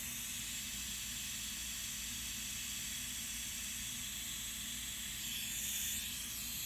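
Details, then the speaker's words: Turbo diverter valve on a bench test rig, pressurised at about 20 psi with pressure on top, adjuster fully open to fully shut makes no difference: steady high airy hiss, valve leaking badly past its seat. "there's all the ways shut absolutely no difference whatsoever leaking pretty bad out through here"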